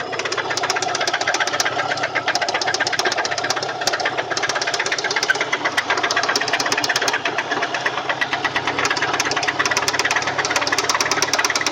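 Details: Subaru EJ204 engine running with a sharp, regular knock in time with the crank; teardown confirmed a spun connecting-rod bearing on cylinder 1 (rod knock).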